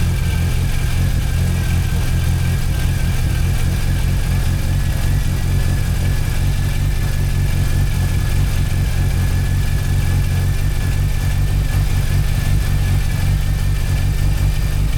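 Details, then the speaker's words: Rebuilt Mazda RX-8 Renesis rotary with RX-7 apex seals, prepped for boost, first start, about 20 minutes running, 17 psi oil pressure: steady even idle, deep smooth drone, faint high whine, no misses or knocks; running healthy. "So, as you can see, it is uh well, as you can hear, it's running. Uh, it's been going now for about uh 20 minutes."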